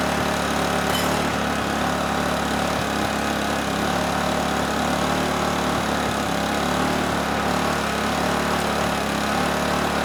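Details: Honeywell HW2000i 2000-watt inverter generator, circa 2002, hard starter: steady, even hum at constant speed with no surging or hunting; handles 1500 W with rock-solid hertz and voltage, so carburetor not suspected.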